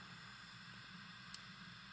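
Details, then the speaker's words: Late-1960s Magnavox suitcase record player transistor amplifier, recapped, with no signal: constant white-noise hiss in one channel, unaffected by volume, tone or balance. "so here's what the noise sounds like it's pretty much white noise"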